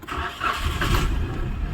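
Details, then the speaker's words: Maruti Suzuki Celerio running on CNG, which cranked but would not start because of a faulty relay, now started with the relay bypassed: brief cranking, then it catches and settles into an even idle with no misfire; normal start. "गाड़ी हमारी start हो गई है य जो problem था यह relay का प्रॉब्लम है"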